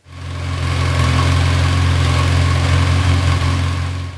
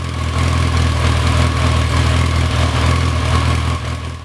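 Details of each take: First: Same motorcycle idling after its non-original carbs were cleaned and pilot screws tuned with a wideband O2 sensor: smooth, even four-cylinder idle, steady low hum, no stumbles or hunting; carbs clean and balanced. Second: Motorcycle with non-original carbs, cleaned and pilot screws removed, before tuning with a wideband O2 sensor: deep idle with a loping, uneven pulse about four per second; pilot screws out of tune, one cylinder lean.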